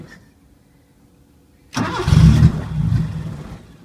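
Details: 1980 Chevy LUV that sat for years, vacuum line plugged, anti-dieseling solenoid reconnected: engine catches abruptly, runs unevenly under two seconds then dies without idling; owner suspects air leak or trashed carburetor.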